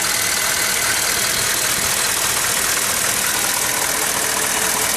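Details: GM 6.5 turbo diesel, 87,000 miles on original engine, warm after idling 5–10 minutes following years of sitting, checked for blowby. Steady idle under a strong breathy hiss, even clatter, no uneven puffing or rough beat. Normal idle.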